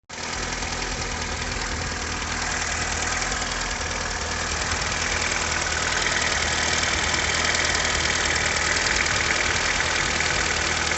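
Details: Jetta Mk2 engine: loud running engine with a regular knock of about three beats a second over the idle; internal knock, cause not yet identified.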